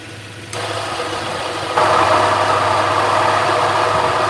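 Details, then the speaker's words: 2009 Subaru Outback 3.0L H6 after A/C compressor clutch replacement: engine idling, then a loud harsh grinding rush jumps in as the compressor engages and stays; compressor internals shot, wobble plate damaged. "ah that sucks so that means that the internals of the compressor are shot the the Wobble plate inside of it is messed up"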